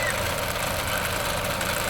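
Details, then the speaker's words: 2010 Ford Fiesta Zetec Rocam petrol engine idling: fast, light rattle like timing chain noise, from the ball inside the PCV valve on the valve cover; replacing the valve stopped it. "Aqui em cima na tampa de válvulas ele usa essa válvula aqui para direciona o fluxo do respiro do motor só no sentido que saia da tampa de válvulas. Ela tem uma esfera aqui dentro."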